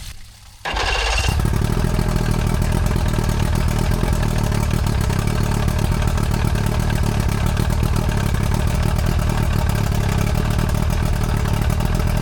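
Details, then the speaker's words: Restored junkyard outboard on second start attempt: catches after a brief crank and settles into a strong, even, rapid beat with no misses or knocks; runs perfectly, though the water stream was only spitting out weakly. "Sounds good, man. Yeah. I'll tell you what, this thing is running freaking perfectly. Sounds like an animal."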